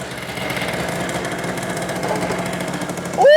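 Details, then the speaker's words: 1986 Honda Spree two-stroke scooter that wouldn't start, first run after clearing a carbon-blocked carburetor passage: crisp, rapid steady idle popping, owner suggests turning the idle up slightly, then a shout. Normal two-stroke idle. "woo all right all right hold on you want your idle turned up just the hair dude she's puring"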